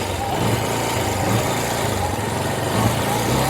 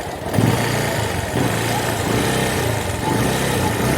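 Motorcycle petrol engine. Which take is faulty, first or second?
second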